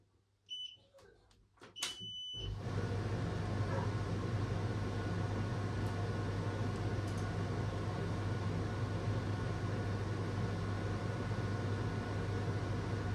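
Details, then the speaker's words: New Logik LCD8W23 condenser tumble dryer on its first test run, already warming: a few start beeps, then an even, steady drum hum with fan whoosh, no knocks or squeals; normal running. "And it's getting warm already. Cool, it's working. So that's good."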